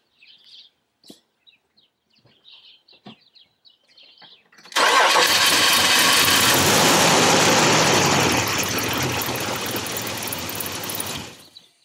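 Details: 2002 Nissan Xterra 3.3 after fuel pump replacement (old pump gave only 45–50 psi; about 60+ expected): engine fires almost at once and settles into a steady, even run before switching off, a clean healthy start.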